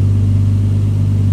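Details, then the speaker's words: Rebuilt engine's first start, fuel pump replaced: smooth, steady idle around 1000 rpm, constant low hum, no knocks or stumbles, no smoke, started first try; normal idle. "Alting fungerer bare. Sådan skal der være. Og starter i første hug. Og den ryger ikke engang."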